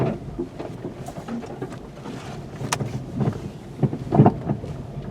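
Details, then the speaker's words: Slow drive of a 2020 VW Golf with a "banging down the road" complaint, CV axles already ruled out: low road rumble broken by irregular rattles and dull clunks over bumps, suspected suspension rattle. "Yeah, I can hear that. Okay. Definitely something rattling, but you gotta figure out what."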